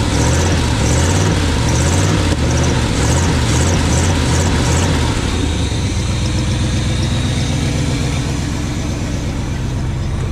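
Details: 1980 Chevy K20 4x4 with freshly rebuilt QuadraJet carburetor and new fuel filters, warming up after first start: lumpy pulsing idle settling to a smoother fast idle; idle too high, vacuum leaks to be checked and carb tuned later.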